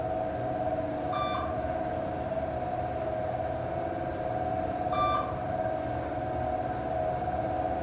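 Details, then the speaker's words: 1980s Dover traditional traction passenger elevator (2500 lb, 200 fpm, 9 floors) heard from inside the car. A steady, loud droning hum holds one pitch through the run with two short chimes: a loud, rough hoist motor. "That motor sounds horrible."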